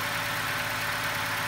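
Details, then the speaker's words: GM Ecotec cold start after sitting 15 hours, following replacement of the timing chain, tensioner and guides: smooth, even idle with no chain rattle or ticking; normal idle after repair. "that's obviously way way better no rattle no 100%"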